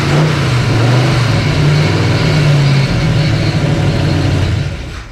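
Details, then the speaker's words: Old engine: runs rough and loud about five seconds then dies at once, losing spark; power confirmed at distributor; stalling from ignition loss. "Okay, it died. Now it lost fire."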